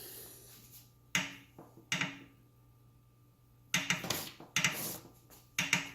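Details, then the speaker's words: Wahoo Kickr 2018 indoor bike trainer, nearly new: sharp irregular creaks and snaps from the flywheel under load over a low hum, louder when warm; traced to the flywheel bolt, with the actual problem an undersized key. "this is actually the second ride that I went on this machine and both times the noise came up it is louder when the machine is warm so the noise is coming from here"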